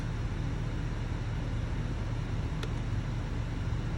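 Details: 2022 Chevrolet/GMC 2500 Duramax diesel idling after a fuel filter change. Steady low diesel clatter, even and unbroken with no stumble or hunting: the truck idles clean and healthy.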